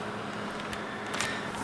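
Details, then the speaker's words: Repaired Alpine 500W power supply running with its fan oiled, 12-volt rail at 12.72 V: a steady airy rush with a faint constant hum; the fan is still quite noisy, but the supply works. "you can hear it's quite noisy i did oil up the fan but it's working good now"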